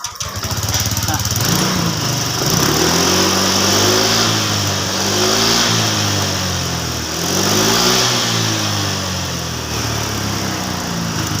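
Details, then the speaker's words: Honda Vario 125 fuel-injected scooter after throttle body cleaning: engine picks up cleanly and revs rise and fall smoothly with no stumbling or dying, running normally. "Yang seperti kalian lihat tadi bahwa motor Vario 125 semakin bagus suaranya dan juga tidak ngepos."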